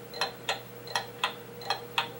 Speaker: after you hear enough movements and hear enough clocks you tend to develop an ear for what sounds right and what doesn't sound right and this is not is an example of a beat that is not steady and even